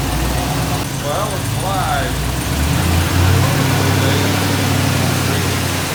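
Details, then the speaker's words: Chevy Silverado V8 with 200,000 miles, after a rebuild with new heads (old heads cracked) because it clattered before: steady, even low rumble with no clatter or knock over about six seconds. Running smooth after repair. "so we got the truck finished motor's back together and in it and it runs pretty good seemed to fix the problem"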